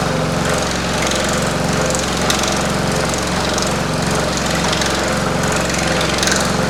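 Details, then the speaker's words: Pullmax-style machine with plastic thumbnail shrinking dies, shaking at start then running smoothly with a fast, steady hammering rattle and no surges or stalls; normal operation. "My machine will shake and make some noise. And then once it gets running, it's pretty smooth. You will hear rattling, but just bear with me."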